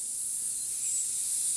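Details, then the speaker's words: Mountain bike tubeless tire valve stem clogged with sealant: only a faint thin hiss escapes when the valve is pressed, far too little airflow, and the tire won't take air. "I don't know if you can hear it, but there's a little bit coming out, but not much. So the other way you can tell is the tire doesn't want to take air."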